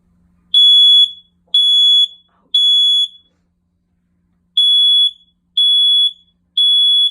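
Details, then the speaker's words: OneLink Safe and Sound hardwired smoke and CO detector, Alexa speaker, just installed, running the self-test. Piercing high beeps come three a second, a pause, then three more: the standard fire-alarm pattern from a working detector. Very loud. "Here's a sample of what it sounds like, and just a warning, it's very loud."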